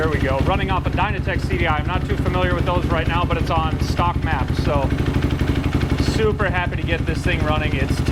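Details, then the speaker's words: Desert-racer ATV project with a newly delivered engine on its first run, idling down. Steady low thumping at about four beats a second settling to an even idle; engine sounds healthy. "this is running off of it sounds good I'm sweating it out out here but this thing is running pretty well right now it's idled down"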